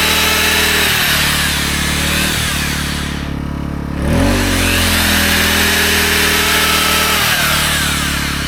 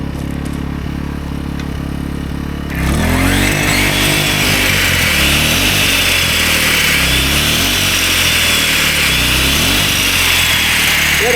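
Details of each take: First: AiVolt 1600W (1260 running watts) gas inverter generator powering a 6.5-amp belt sander. A steady drone holds engine speed firm with no surging or bogging, normal running under load. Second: AiVolt 1600W (1260 running watts) gas inverter generator powering a 15-amp circular saw, beyond its roughly 10-amp capacity. The engine strains and hunts up and down and the overload light comes on, generator overloaded.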